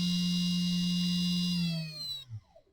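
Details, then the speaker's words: 60 V 5,000 rpm brushless three-phase motor on a backup BLDC speed controller for the EGO 56V blower retrofit, bench test, enable pins not pulled high: slight slip on takeoff, then steady even whine, pitch sliding smoothly down as it coasts to a stop; runs normally. "It does have a little bit of slip. Has a little bit of slip right on the takeoff. You can hear that or see that, but after that, it does have a little bit of acceleration and deceleration time."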